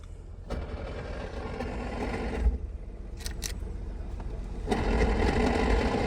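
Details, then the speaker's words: Holden VY Commodore manual, sat for years, first idle with no radiator: quiet, then rough low churning rattle at idle that goes away with clutch pressed; gearbox noise, not engine. "Okay, so the noise is in the gearbox. That is a massive relief."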